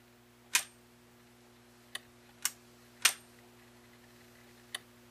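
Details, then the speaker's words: Zenith Space Command 600 remote chassis (model S77 536, 1970 color TV) on the bench after alignment with the mechanical remote: crisp individual pilot relay clicks over low mains hum, relay pulling in cleanly for mute and channel commands; normal operation. "you can hear the pilot relay click mute perfect and channel higher so we now know everything is working"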